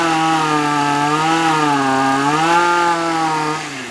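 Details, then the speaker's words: Shindaiwa AH242 hedge trimmer given throttle after about a minute running: high two-stroke buzz surges and sags instead of climbing; picks up only with choke adjustment, fuel delivery issue likely needing carburetor rebuild kit and tune-up. "now i'm able to make it run okay by adjusting the choke you heard the engine pick up so that tells me we're dealing with a fuel delivery issue so this one's probably just going to be a carburetor rebuild kit and just a general tune-up"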